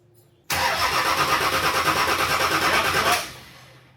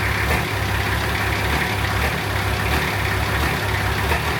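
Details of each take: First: Nissan Patrol diesel after fitting a new 270hp injection pump, front-mount intercooler and exhaust manifold, injectors cracked to bleed: steady starter cranking about three beats a second for 2.5 s without catching; air in the fuel system being purged. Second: Nissan Patrol diesel after fitting a new 270hp injection pump, front-mount intercooler and exhaust manifold: deep, steady idle, even clatter with no misses, surges or knocks; first run sounds healthy, normal diesel idle.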